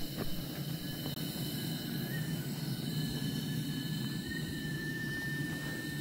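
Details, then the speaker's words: 5-inch gauge Waverley 4-4-2 North British Atlantic steam locomotive on steam test, near working pressure: faint thin whistle over steady steam hiss, suspected steam leaking past a stuck whistle valve, not confirmed. "we could hear the small uh a small whistling sound and i think it was due to a stuck um whistle valve"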